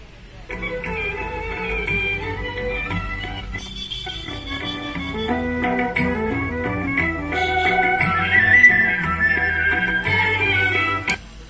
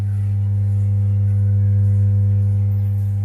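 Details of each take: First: Kenuo tower amplifier after the humming fault was fixed at the 6800µF/35V capacitor with cleaning and resoldering, playing folk music through AUX input: clean output with no mains hum. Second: Kenuo tower amplifier (equalizer, USB, MMC, echo mic) powers on but gives a steady deep "ummm" mains hum with no music; caused by a poor connection on the 6800µF/35V filter capacitor, fixed by cleaning and resoldering it.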